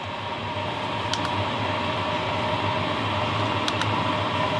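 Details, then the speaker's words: New HCalory Toolbox 2 diesel heater at level 10 via remote, ramping to full speed around 97°: steady fan rush with soft even fuel pump ticking about four per second, no rough or rising noises; normal full-power operation. "it is ramping Up full speed now 97° and it is still quiet that is at level 10"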